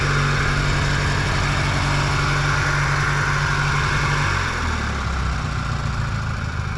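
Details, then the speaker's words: Old Sears riding mower just started after repair: small single-cylinder runs smooth and even, about four firing beats a second, then eases back slightly; normal idle. "Well, there we go, boys. Now she runs."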